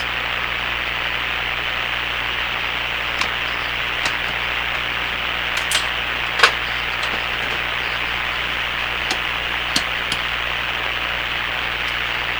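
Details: Hammarlund SP-600 receiver after replacing the power-supply electrolytic capacitors, brought up from 100 to 117 volts: a steady, even hiss with a few faint clicks and no hum or crackle; normal background noise.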